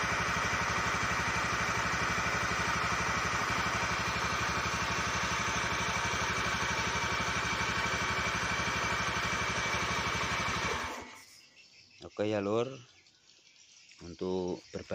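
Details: Honda BeAT eSP scooter that wouldn't start with error blink code 52 (CKP sensor fault), after repair: fires up and settles into a steady, even idle around three beats a second, then shuts off; runs clean after the fix.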